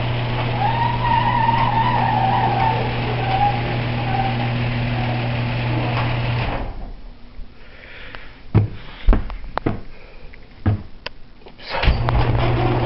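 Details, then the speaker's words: Garage door running with a steady low drone, then scattered loose clunks and bangs as it travels and stops; the rattle comes from the door itself, not the opener, cause unclear. "that noise is the door not the opener"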